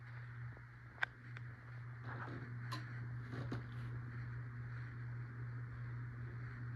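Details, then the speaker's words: CEI HC-52 hugger ceiling fan, likely Sears-sold, run on low, medium and high; low steady hum with a faint rough rumble and ticks from bearing noise, plus slight wobble noise. "It makes some bearing noise, and it wobbles a little bit which also makes some noise, and it blows okay amount of air."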